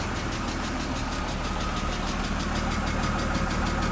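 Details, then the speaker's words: BMW 328i E36, 154,000 miles, reportedly blown head gasket with coolant leak near head, check engine light on, not fully warm: steady idle with an even light tick about three per second, suspected top-end tick, not confirmed. "sound like it has a mess it's got a tick so we're not gonna run it long we're gonna shut it off"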